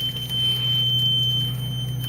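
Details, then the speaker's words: Bus emergency exit door opened: continuous high-pitched electronic tone holding steady without pulsing; the emergency exit door alarm sounding. "do you guys ever hear an emergency alarm when you open the exit door you guys want to hear that let's hear it right now"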